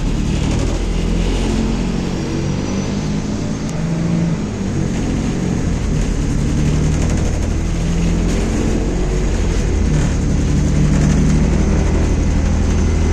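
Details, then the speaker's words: Inside a 2021 MAZ-216 bus while riding: a loud, constant low diesel roar fills the cabin with rattles on top, far noisier than an older 1986 bus. "Vous souvenez-vous du silence qui régnait à l'intérieur du bus de 1986 ? Nous voyageons maintenant dans un bus MAZ-216 2021. Écoutez le bruit de ce bus. Honte!"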